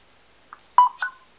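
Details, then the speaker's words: Sigelei ZMAX Telescope V5 vape mod: holding the fire button 10 seconds toggles mobile power output for charging another device. Short, clean electronic beeps near 1 kHz signal the mode change. "To turn it off, you hit and hold the fire button again and you'll hear it. It says mobile power off or mobile out off."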